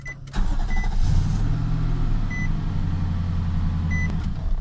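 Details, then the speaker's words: 2017 Nissan Titan after starter replacement for a no-start: smooth, steady low idle with no tapping or knocking, faint cab chimes; earlier noise was thought to be an exhaust leak or lifters not pumped up, now quiet. "Oh, now it's quiet. Maybe those lifter's not pumped up or something."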